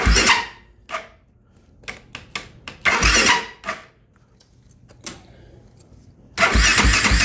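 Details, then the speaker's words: 2008 Kawasaki KFX450R with new starter, relays, solenoid, switches, harness and injector; timing and valve clearance within spec: short, choppy, hard cranking bursts after starting fluid, no start; seems like hydro-locking but isn't, owner unsure whether the adjuster screw is at fault. "I mean, it kind of seems like it's hydro-locking, but it's not."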